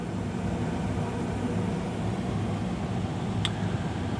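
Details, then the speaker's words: Carrier attic gas furnace heating, blower on low speed for heat, combustion air piped to the roof: steady low hum and smooth airflow, no rattles, squeals or surging; normal operation. "the blower is on low speed as you know for heat and we just step back here carefully yeah this is what it sounds like so I'm not too bad"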